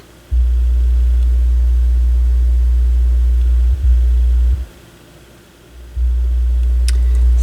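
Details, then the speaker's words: Technics SL-B202 turntable: deep steady buzzing hum that cuts in and out abruptly as the tonearm wiring is flexed; suspected bad left-channel tonearm wire. "yeah I think we got a bad tone arm wire because that's the Left Channel"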